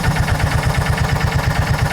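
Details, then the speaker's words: John Deere Gator 4x2 with hard hot-restart, idle and power issues and bad clutch noises, loaded at idle. Fast, uneven low thumping, the engine straining as the primary clutch engages the belt too early instead of slipping. Primary clutch problem confirmed. "It's not really sliding speed. So, we definitely have a primary clutch issue here."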